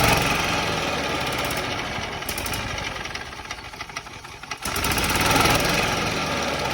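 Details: Yamaha golf cart that sat 6–7 years, jump-started from a truck with the choke on and running on very stale fuel: the engine catches and holds a steady, busy patter with a brief dip before picking back up. It runs fine.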